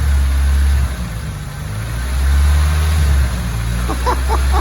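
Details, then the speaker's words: Long-stored Merkur XR4Ti, turbocharged, manual transmission, fired up on a fresh battery after sitting, old fuel in it: deep, steady rumble with no misses or knocks, engine running smoothly; normal running. "incredible it runs it runs at this point runs i can hear the turbocharged power incredible it's alive"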